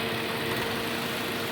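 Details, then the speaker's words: 2002 Dodge Neon idling evenly with no hunting after its idle-hunting problem was traced to a hole in the intake accordion tube behind the throttle body. Normal idle. "now it's running like it's supposed to be running"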